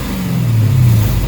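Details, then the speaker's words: V8 on E85 just started cold after a new throttle body install: deep rumble with a slight uneven stumble in the beat that smooths out as it warms; owner attributes the cold-start stutter to E85. "If y'all hear a little stutter, that's E85 for you guys. You know what I'm saying? Like, you hear that little stutter? But after it warms up, it's fine."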